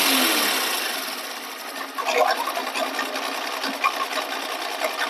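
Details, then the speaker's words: Honda Shine 125 BS6 with 17,000 km idling: fast dry clatter that stops when the clutch lever is pulled; clutch opened for repair. "ये देखिए ये आवाज आ रही और जैसे ही क्ल दबाए वैसे ही आवाज चली जाएगी क्ल दबाइए ये देखिए चली गई"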